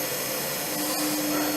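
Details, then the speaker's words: 3-phase motor on a mechanical trainer retrofitted with a G2 VFD, testing forward/reverse via directional button: smooth even hum with steady mid-pitched drive whine, no rubbing or knocking; normal running. "it one side spins one way that stops it and that spins it thataway so we're gonna use that and go back to the old board using the former clutch brake system as a two way for forward and reverse"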